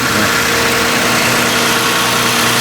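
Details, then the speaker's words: 2009 Ford Flex after a K&N cold air intake install, cold and warming up: steady, even idle with a light intake hiss and no knocks or misses; sounds good, normal idle. "oh it sounds cool yeah that sounds pretty good"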